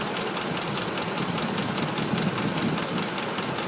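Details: 2005 Ford F-150 5.4 L, nearly 89k miles, Motorcraft 5W-20 oil: steady rapid top-end ticking knock over smooth idle, now present at all RPMs, newly worse; owner and two dealers suspect cam phaser, unconfirmed; check engine light from unplugged VCT.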